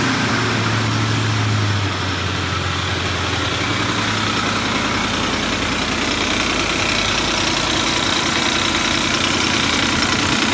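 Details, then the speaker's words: Ford 5.4L 3V V8 idling with a steady, fast metallic knock: loose aftermarket cam phaser whose worn locating notch lets it move back and forth; guides, tensioners and phasers were already replaced by a previous mechanic. "so it's moving back and forth back and forth metal transfer here right here and it's making that knocking noise"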